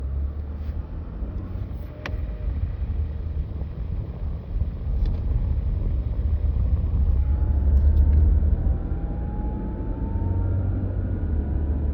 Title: 2022 Toyota Highlander whining noise. Only 36k miles.